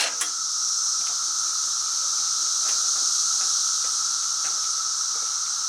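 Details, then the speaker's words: Woods mower with a hydrostatic drive and a starter reported to be going bad, tried on a stronger battery with the choke on: a steady high-pitched whine with no cranking rhythm; the starter spins but does not engage the flywheel, to be removed. "Well, it sounds like it's stronger, but the starter is not engaging. I think I'm going to have to take that starter off and see what's going on with it."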